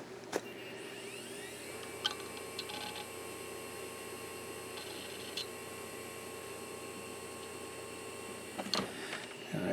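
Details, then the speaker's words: Used vintage hard drive from an eBay lot, on the bench test: spins up to a steady whine, then crisp seek ticks with no scraping or repeated clicking. It sounds just like the previous drive, so it is a normal, healthy spin-up and seek. "Okay, that drive sounds good. It's spun up and did the seek test. And it sounds just like the other one."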